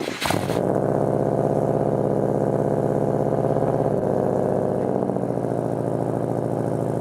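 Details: Car idling after cleaning the idle air control valve to fix a bad idle: engine catches and settles into a steady, even idle, rpm flat, no hunting or surging; owner confirms fix worked.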